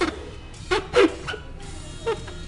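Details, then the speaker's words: Capping machine chuck with black rubber insert gripping the cap of a 5 L container; short rubbery squeaks in bursts are the normal sound of the chuck holding the cap. "eso que se escucha que rechina No es otra cosa más que está haciendo o está sujetando a la tap"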